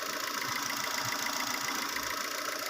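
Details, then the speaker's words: Suzuki APV with misfire, now running after new coils and spark plug seals and a leaking hose fixed; quiet, even, steady idle with no stumble. "Ayan guys, so mapapansin nyo, tahimik na po itong ginawa natin. Tahimik na ang andar ito guys."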